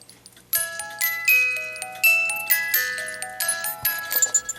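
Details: Chalet cuckoo clock music box after adding a collet so the spur gear stays engaged with the crown gear: clear plucked tune plays note after note with no skips or stalls; playing properly.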